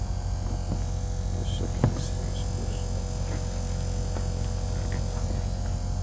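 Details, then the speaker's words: Kenworth diesel truck unused for a long time, fuel lift pump priming: steady low electric hum with faint clicks; owner thinks it spins fast because the system lacks fuel and pressure must catch up; normal lift pump running. "Probably the pressure has to catch up. That's the reason why it's spinning so fast, because it, you know, it doesn't have enough fuel in the system."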